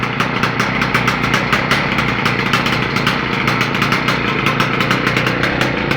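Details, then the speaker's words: Victa small engine being modified for kart use, start-up after fueling: fast, crisp, even firing at steady speed, very loud open exhaust, no misses or knocks; running properly. "As you can hear, I've got it going, and it's freaking loud."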